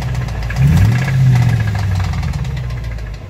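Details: 2005 Dodge Ram 1500, 5.7 Hemi V8, revved: deep engine note climbing with a loose, uneven low knock underneath. Owner suspects a bad bottom-end/main bearing; others suggested the flexplate. Unconfirmed.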